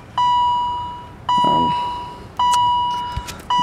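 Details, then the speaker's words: 1986 BMW 635CSi: dash low-coolant warning beeps about once a second although coolant is full; owner suspects a faulty coolant sensor. "coolant sensor is going off um i can show you just a second the coolant is full so it's a faulty sensor"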